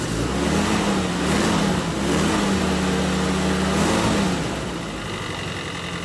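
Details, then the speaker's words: M151A2 MUTT four-cylinder after a valve adjustment and distributor rebuild; it sounds far better than before. It revs up and settles to a fast, even idle with no valve ticking; it runs healthy. "that sounds a thousand times better I know what it sounds like on camera but I ain't messing with"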